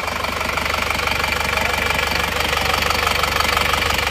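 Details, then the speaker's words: Isuzu Panther Touring diesel, rebuilt for smoking (ngobos) after defective, scored liners; block honed round: even clatter about four beats a second, steady and regular at idle; freshly rebuilt engine idling normally, smoking expected cured. "Insyaallah ini sembuh ya nanti ngobosnya sudah sembuh karena ini bloknya sudah kita poles sudah silindris"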